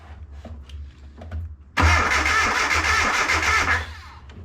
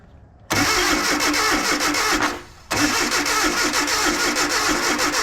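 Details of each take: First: Abandoned Datsun 720 King Cab 4x4 pickup, sat about 20 years, new starter replacing one that failed grinding and smelling burnt, fully charged battery: sudden strong fast even cranking about two seconds; much faster than old starter, healthy. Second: Datsun/Nissan 720 King Cab 4x4 pickup abandoned 20 years, ignition on after resetting number one and firing order: long uneven cranking runs with pauses, never catching; owner suspects ignition timing way off, super advanced.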